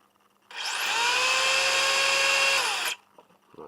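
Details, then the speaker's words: 1/10 RC touring car on the bench: a high whine climbs as the motor spins up, holds about two seconds, then cuts; drivetrain gears rough after a weekend race, no wheel vibration. "That noise you hear is my gears, which are a bit rough at the moment because of the race that happened on the weekend."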